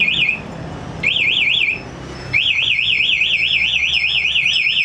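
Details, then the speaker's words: Yamaha NMAX smart key with aftermarket anti-theft alarm: ignition forced for about 7 seconds without remote nearby, engine won't start and alarm sounds warbling siren in bursts then continuously. "Terus saya coba kontak on di sini. Maka motor nggak bisa dihidupin dan alarm akan teriak."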